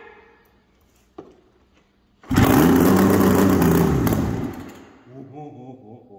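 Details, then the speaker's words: 2000 Yamaha SRX700 three-cylinder two-stroke triple snowmobile, non-runner fixer-upper; quiet, then loud ragged roar for about two seconds that fades, sputters and won't keep running. "oh yeah she going to be loud too but we won't run it very long just enough to hear the sound of the triple"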